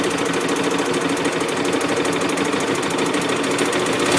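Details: 2007 Hyosung GT250R idling after a highway ride: fast, light, sewing-machine-like top-end ticking, present only at idle and low rpm, fading above about 4000 rpm; owner suspects valve adjustment or cam chain tension, unconfirmed.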